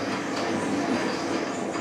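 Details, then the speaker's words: Laguna Fusion table saw after about a year of use: steady, gritty rasping grind while raising the blade, from sawdust packed in the elevation screw threads; no noise when lowering, cleaning fixes it. "the dust gets packed in the thread of the the train there it makes that really loud of noise doesn't do it when it's going down but it lets me know that then it's time to clean this thing"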